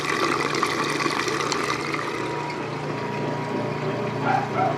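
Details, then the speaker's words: Whirlpool direct-drive top-load washer from the late 1990s or early 2000s, worn but working: the timer clicks just before draining, then the neutral drain gives an even water rush over a steady low pump drone, with no knocks or squeals. Normal pump-out. "Here's the timer sound and the neutral drain to the stand height here."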